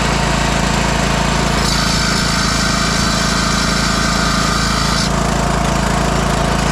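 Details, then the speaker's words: 2004 MTD Yard Machines Gold lawn tractor engine after sitting weeks or months: a loud, even cranking beat of about three and a half per second that never catches. Fuel flooded into the engine, partly hydrolocking it, and smoke follows. "it's uh hydrolocking a bit this thing the the fuel just flooded into the engine as it sat for several weeks or months whatever it was um so there's way too much liquid in this engine"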